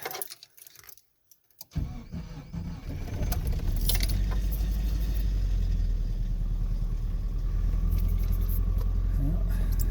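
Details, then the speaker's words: Nissan pickup with blown head gasket, cold start after snow packed engine in March 2021 blizzard: keys rattle, engine catches with uneven lumpy idle, running on about two cylinders before settling; misfire from blown head gasket. "I'm sure I'll have to go get the daggum thing to tighten that, but oh shit, it started. Look at that. All 2 cylinders trying to figure itself out here."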